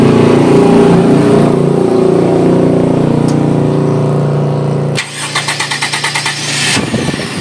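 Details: Engine drone fades, then the starter, newly wired through an added relay to prolong its life, spins the engine in a quick, even chug of about three beats a second; normal starter cranking.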